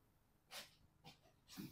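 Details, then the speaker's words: Fiat 500 after a thermostat replacement for overheating. The coolant bleed nipple screw is loosened and coolant topped up, and three short soft hisses are heard as trapped air vents from the cooling system through the open bleed nipple. "Now we already top up and we have to wait until air come out from this nipple. I can hear the air hissing noise now."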